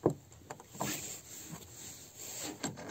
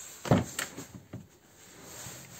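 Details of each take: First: Lada Kalina door: uneven creaks and dull clicks as the door swings through its travel; worn door check strap, which also knocks over bumps and fails to hold the door open, fixed by replacing it. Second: VAZ Lada Kalina door after replacing the worn door check strap that knocked over bumps: a few soft detent clicks as the door swings open, no knock or clunk; door check holds positions normally.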